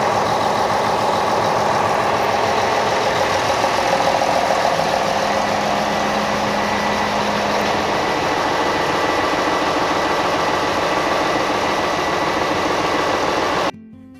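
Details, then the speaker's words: Ship's diesel engine just started after oil level and leak checks and priming: steady, even drone at constant speed with no knocks or misses; normal healthy running. "setelah kita dengarkan suara Aa nya yang lega tadi"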